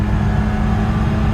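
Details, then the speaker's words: 1974 BMW E9 with a Carl Nelson exhaust, driving and downshifting into 3rd: a steady drone with a thin, whiny, tinny tone and little deep rumble. The owner recalls it used to sound throatier; cause unclear. "You know, it seems, to me it sounds great. A little tinny. I do have a Carl Nelson exhaust on it."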